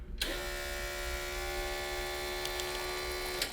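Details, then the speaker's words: Electric fuel pump on a Predator 670cc V-twin dragster kart with a 34mm Mikuni carburetor: loud, steady high buzzing hum for three seconds, switched on and off; pump making too much pressure for the carb. "and that's what was happening the other day yep too much pressure yep all right cool oh snap so whenever i turn on the switch it doesn't have any [Music] coming out you hear the pump going oh yeah it's going crazy"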